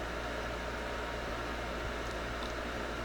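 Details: Pride DX-300 tube amplifier on standby after HV supply replaced with Nomad HV PCB and new caps, variac near 110-115 V, about 2400-2700 V HV, 95 W; quiet steady airy blower whoosh with low hum, no rubbing or growl, normal.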